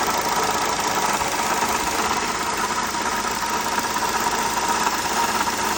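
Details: 2007 Honda Accord at idle: light busy rattle roughly two per second over the engine, diagnosed as worn water pump, fixed by water pump replacement.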